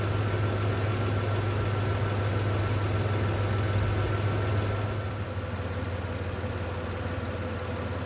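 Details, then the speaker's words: Toyota 4Runner 3rd gen (1996-2002) 3.4L V6 5VZ-FE after new spark plugs, OEM plug wires and coil packs: low, even engine rumble settling into a steady idle with no misfire stumble or ticking. "Super proud of this job and I'm excited to hear this motor purr with all of this new equipment ready to get going."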